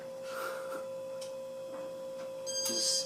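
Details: Restored 1987 Casablanca Zephyr ceiling fan with new bearings, mounted on the ceiling: quiet steady mid-pitched hum, level throughout; running nicely, normal.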